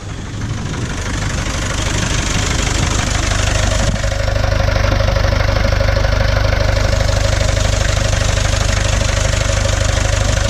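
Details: 1989 Land Rover Santana 2500 diesel, 68,000 documented miles, good compression on all four cylinders, started after warming the glow plugs, filmed on a GoPro internal microphone: steady, even idle with the usual regular clatter, no knocking, no smoke.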